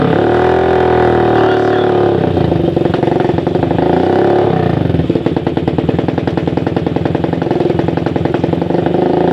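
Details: Suzuki Satria FU 150 single-cylinder after porting and new valve shims: idling then blipped, with firm, even firing that picks up cleanly and no knock or misfire; it runs healthy.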